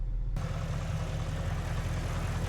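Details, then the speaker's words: Audi S5 4.2 V8 idling after re-installing the air intake with new gaskets to cure a misfire: low, even burble, steady beat, no stumbles; misfire counters no longer count up, no leaks, runs smoothly, normal idle. "Oh, that's a relief. [laughter] Oh, I'm so pleased. She's purring like a kitten. And there's nothing leaking out, which is always a good sign, I think."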